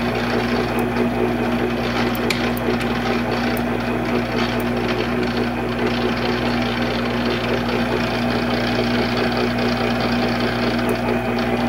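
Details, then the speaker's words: Monarch 10EE lathe in threading feed after gear train noise work: constant motor and gear whine with irregular clattery rattle on top; still noisy, apparently coming from up in the headstock, cause unknown. "i don't know i still hear noise"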